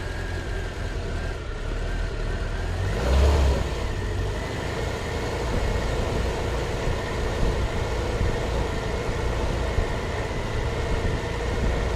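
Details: Volvo 340 with B14.4E engine: idle hunts and stumbles with an irregular, lumpy beat; rough idle caused by dirt in the idle solenoid.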